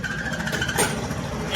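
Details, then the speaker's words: Kawasaki NS160 FI motorcycle brought in for a general overhaul, engine idling. A light, intermittent scraping squeak rides over the idle as something catches and rubs on the magneto side; a screw there may have come loose. "May sumabit magneto. Maaring lumuwag yung turnilyo dito."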